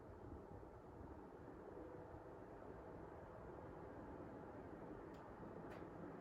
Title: Panasonic Air Cond 1.0 HP Standard Model Operation and Fan Sound